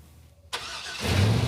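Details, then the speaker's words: Engine after two reversed wires in the coil plug harness were corrected; thermal imaging had shown two cylinders not firing. It catches and settles into a steady, even low rumble with no stumble, far better than before; normal running. "yes that is fixed it's way way better yep you can tell immediately two of the coil unplug coils were firing at the wrong time"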